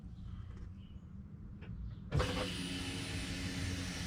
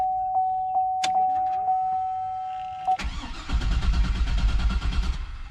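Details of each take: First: Fuel pump priming heard with the key on in a 2003 Chevy Suburban 5.3L 2WD, door shut: after a quiet moment a steady even whine holds about two seconds; normal prime, so relays and fuses are next to check. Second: 2003 Chevrolet Suburban 5.3L 2WD: chime, then starter cranks steadily about three turns a second but engine never catches despite good spark, starter and battery; codes P0171 and P0174 lean, plus P0420; diagnosed as bad fuel pump, later replaced.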